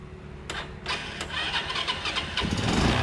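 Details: Motorbike that would not start (dead ignition), run with a substitute IC/CDI ignition unit plugged in: a few starter clatters, then engine catches at once and settles into an even idle with a steady beat; stops when unit removed.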